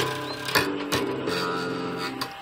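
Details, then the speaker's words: Tanglewood Rebel bass tuned to drop C with light strings and flat string radius, low action. Plucked notes with a metallic buzzing rattle as the slack strings slap the frets; fret buzz. "You can hear that rattle. Part of the problem is that this is tuned to drop C, just for some stuff that I was doing, some demos. And it's quite light strings on it."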